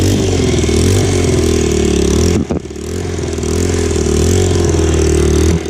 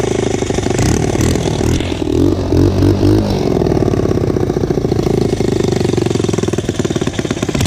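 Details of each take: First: Single-cylinder motorcycle after exhaust fix, old header gasket removed to stop the leak and rattle, on choke: steady fast-idle thump with one brief throttle dip, no ticking or puffing at the exhaust joint; normal running. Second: Motorcycle single, cold start on choke after exhaust pipe bolted back on: sharp puffing and chuffing with each firing as it revs; exhaust still leaking, not sealing where the pipe meets the cylinder head.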